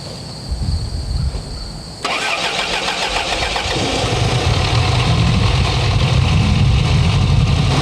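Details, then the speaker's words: 1984 Chrysler LeBaron with the Mitsubishi 2.6 and Mikuni carburetor, choke held wide open: a short crank, then a low, uneven idle that never smooths out; a rough idle, the known Mikuni idling problem, cause not confirmed. "And it comes with a Mikuni carburetor, and this one's got an idling problem, just like almost all of them do."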